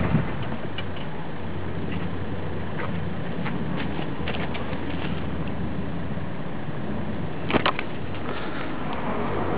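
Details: VW Golf MK4 TDI diesel idling: low, uneven chug with wavering beat instead of steady rhythm; rough idle, cause not evident.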